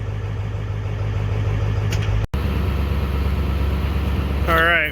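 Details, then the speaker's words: Ford 7.3 Powerstroke diesel after fuel heater and cracked fuel cap leak repair, started on block warmer with inoperative glow plugs: steady low diesel clatter at idle with one brief dropout; running normally again, needs glow plugs. "we let this thing run for a while i'm gonna get a quote together to put glow plugs in it because it definitely needs a set but it's running again"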